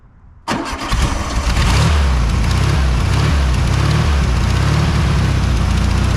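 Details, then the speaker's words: 1973 VW Super Beetle after clogged fuel filter found (fuel pump fine): cranks briefly, catches and settles into steady, even low idle, slightly lumpy while still cold but running fine. "well all be a monkeyy uncle that thing's pumping it out really good once it's actually running so I guess I can conclude nothing more than it's actually the fuel pump is fine it's just that fuel filter"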